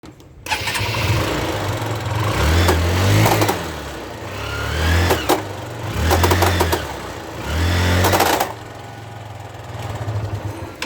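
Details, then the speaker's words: Motorcycle with engine revs rising and falling while sharp slapping clicks jump in at each surge; drive chain slips over a completely worn-out front driving sprocket. "so this sound is coming from here from this driving sprocket front sprocket and you can see this this are completely worn out and this chain slips over this sprocket"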